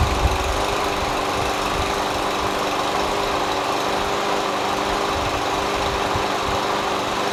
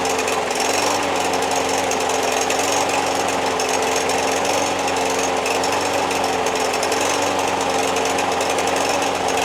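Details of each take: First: MTD Yard Machines push mower, Briggs & Stratton 550EX Ready Start auto choke, found on curb; surged and ran rough before carburetor cleaning. After carb clean and a substitute linkage spring: smooth, even single-cylinder run, steady beat, no misses; sounds healthy. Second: Free MTD Yard Machines push mower, Briggs 550EX Ready Start auto-choke engine with plastic carburetor: starts after 3 pulls but surges and runs rough with an uneven, hunting beat. Owner suspects a clogged main jet; dirty carburetor, needs a carb clean.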